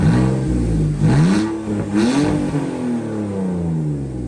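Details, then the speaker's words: Nissan V35 sedan, 6-speed manual V6, with a budget custom mid-mount turbo and a custom manifold. Quick rev blips with a slightly uneven, raspy metallic exhaust tone and no knocking. Normal raspy exhaust note. "just a little bit obviously you know inline 6 versus V6 it's really raspy metallic a little bit like fresh kicks S15"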